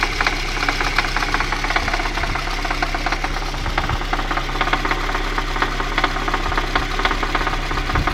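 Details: VAZ 2111 engine at idle: steady light tapping at roughly two per second rides over the idle from inside the motor; engine knock, cause unconfirmed.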